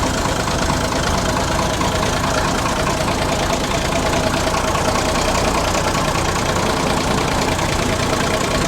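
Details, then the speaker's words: 50-year-old International ACCO 6x6 army truck retrofitted with a Perkins 6-354 diesel, started in neutral: steady, even diesel clatter at idle with a regular beat and no stumbles or knocks; healthy running engine. "Good beauty, she's running."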